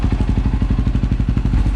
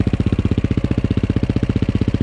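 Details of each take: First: KTM 530 EXC-R after Dirt Tricks manual cam chain tensioner replaced factory tensioner known for cam chain slap; idles almost silent with an even quick thump, no clicking or clacking, normal healthy idle; cold December upstate New York. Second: KTM 530 EXC-R single-cylinder cold December start on choke: idle thumping about four times a second with metallic clatter on each beat; cam chain slap because the hydraulic tensioner lacks oil pressure with cold, thick oil.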